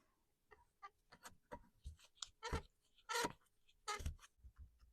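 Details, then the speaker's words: Stihl MS291 Farm Boss that keeps stalling, bar and chain removed: clutch drum turned by hand, engine off, gives irregular dry clicks and rattles; something is wrong behind the clutch drum, though the needle bearing is intact. The clutch was replaced afterward. "Something's wrong behind that clutch drum. The needle bearing is in one piece."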